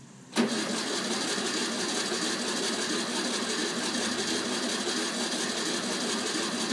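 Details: 1964 VW Beetle, first start after more than 10 years parked; abrupt, steady, even cranking for several seconds without catching; needs extra effort after long storage; cranking, slow to start.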